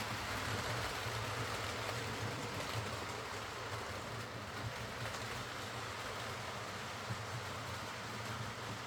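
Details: Hornby R.372 Class A4 "Seagull" tender-drive model loco after repair: stop-start running likely from excess axle oil spoiling pickup; soft steady whirr with faint even wheel clatter, no surging or grinding, running smoothly.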